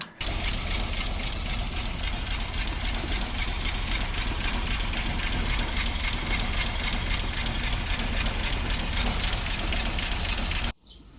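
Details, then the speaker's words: 1939 Buick coupe engine with a bent, previously welded rocker pushrod: uneven, lumpy idle with an irregular tapping of roughly four a second, like one cylinder missing. Owner suspects a worn cam lobe on cylinder one or a pushrod issue, unconfirmed. "so hard to tell what's really going on but I suspect the cam lobe number one cylinder is worn out"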